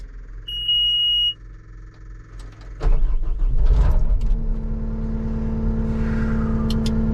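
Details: Cat 259D loader after replacing the left joystick base (code 2476-3, left joystick position sensor above normal; would not go forward): chime, then the engine starts and runs steady and even. Fault fixed.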